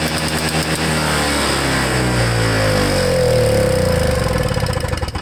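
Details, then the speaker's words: Toro Snow Commander snowblower after carburetor work, fuel line still disconnected: engine catches on the pull and runs rough and uneven, revs climbing then sagging as the flooded cylinder burns off excess fuel and clears the spark plug. "I gave it a couple pulls and it sounds like it wants to start, and like I said, I still have the fuel line disconnected, so we'll see if I can give it a few more pulls and that spark plug will be cleared up"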